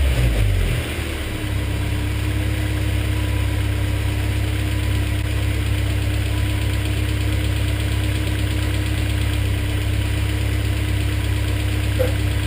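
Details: BMW E30 with M42 engine at steady idle: a fast, faint tick about three per second over the drone. Stuck hydraulic lifters are suspected; after warm-up and oil flow it sounds slightly better, but the noise is still being monitored.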